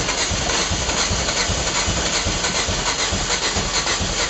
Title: Rocket crank no start.